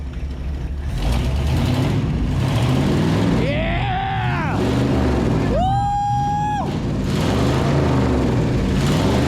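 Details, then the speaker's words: 1970 International Loadstar truck, revived from locked-up, idling after start despite low coil voltage: deep, even, really smooth idle rumble with no misses or knocks, some whistling over it; runs great. "these things love RPM she's running great can't argue that it is really smooth like really smooth"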